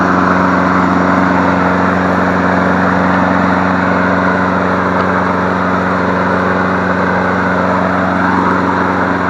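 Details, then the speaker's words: Free 21-inch MTD Select Series self-propelled push mower, small single-cylinder engine, first start after diagnosing cord snapping back (suspected sheared flywheel key); runs at an even, steady drone with no misses or knocks, running healthy on leftover fuel. "oh yeah [Music] good job you sound pretty darn good"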